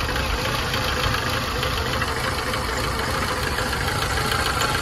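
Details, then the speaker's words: 2006 VAZ Lada Kalina 8-valve, stalls and won't hold idle, high fuel use; idle drops below 500 rpm, uneven shaky low chug, engine vibrating; many sensors already replaced, MAF (DMRV) being checked at 1.25 V; cause unconfirmed. "Оборот, яғни өте төмен 500-ден де түсіп кетіп тұр. Өте төмен. Оборот өте төмен екен. Мотор жағы тірайт етіп дірілдеп тұр."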